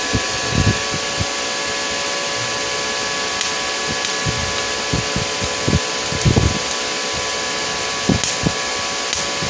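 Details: IGBT inverter welding machine after PCB repair, safety bulb on AC input, current raised above the 10–20 A minimum: steady fan hum with a high hum and irregular crackling welding bursts; welder works normally.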